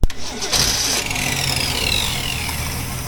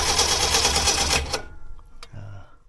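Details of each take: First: 1964 Ford Ranchero engine, first run after sitting with coil and points ignition wired up: cranks briefly, catches and settles into an even, steady run with no misses or knocks, sounding healthy and seeming to run on all six cylinders. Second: 1964 Ford Ranchero being revived with a coil and points ignition: fast, even starter cranking for about a second with no firing; cranks but no start.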